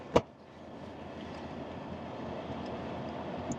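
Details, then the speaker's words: Toyota, Lexus or Dodge 2007-and-up PWM-controlled blower fan just after a new blower was installed: a click, then a soft, steady, strong airy whoosh with no whine, scraping or rattle; the blower is running cleanly. "Alright guys, got the blower hooked up, the new blower. Everything works great, as you can see"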